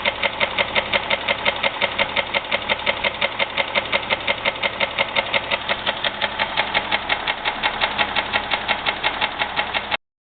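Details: 2001 Jeep Grand Cherokee 4.0, oil changed regularly, noise began suddenly: sharp, very regular knocks about three per second through a steady idle. Deep bottom-end knock, piston slap or rod knock suspected, unconfirmed.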